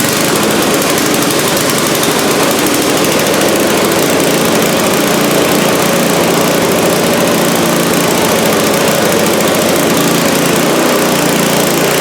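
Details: Scrap-heap $10 snowblower small engine, after cleaning a carburetor fuel bowl that was full of gunk like used motor oil. It runs steady and even at fast idle with a busy, rattly exhaust note and no misses: running fine.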